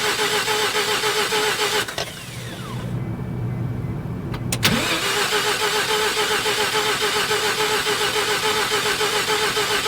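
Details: 1988 Mazda RX7, 1.3 L 13B twin-rotor rotary, sat 10+ years, in neutral, mic left by the car: starter spins the engine at a steady, fairly quick rhythm but it never catches or fires. Cranks, no start; cause not yet known.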